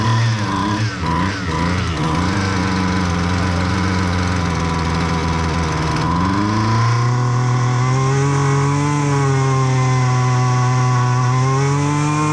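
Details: Husqvarna 128L string trimmer that would not start because of flooding, run after the carburetor was replaced: it settles from a wavering idle to a steady higher buzz that holds even with no stumbling, running properly.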